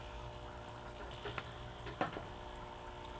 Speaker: now just have your pump situated and just plug it in see if it's working you hear it humming